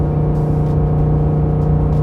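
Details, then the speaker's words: Ford F-150 with the 5.0L Coyote V8 towing an 8,000 lb enclosed trailer up the last hill: deep steady drone labouring low at about 3,000 rpm, then a downshift to fifth gear at 3,500 rpm, smooth with no knocks or misses; healthy engine under heavy load. "oh yeah this 5 L just digs in all right here's our last Hill you can hear that engine just bogged down reach for that torque 3,000 RPM there's our downshift fifth gear 3500"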